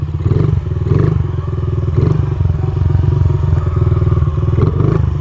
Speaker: So, it has still a little bit of a hanging idle, but not as bad. So, that tells me that we probably went richer on the air-fuel mixture.